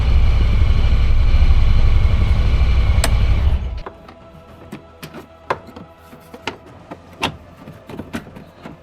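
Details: 2024 Honda Pioneer 1000-5 side-by-side idling after first service oil and filter change and maintenance light reset: smooth even low rumble for a few seconds, then shutoff and only clicks; engine healthy, normal idle.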